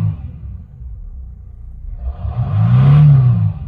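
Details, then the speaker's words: 2006 Mercedes CLK 320 3.0 V6 diesel (OM642) after repair for fault 2513-1: idles low then revs cleanly past 3000 rpm, previously limited, and falls back without stumbling; limp mode cured. "Now as you can see, it goes over 3000 revs now."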